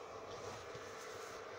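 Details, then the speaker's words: Steady airy whoosh with faint constant hum: the cooling fan of a power supply running flat out at full speed all the time, before fitting an LM317-and-thermistor temperature-controlled fan circuit to slow it and cut noise. "noise is from this power supply and I will install one of these circuits in here so it doesn't run all that fast all the time"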